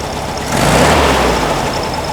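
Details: 1957 oval-window VW Beetle with an air-cooled flat-four generator engine, previously idling very low with a slight bog on more fuel: picks up cleanly on a short blip and settles back without stumbling. Mixture now sounds right; normal running.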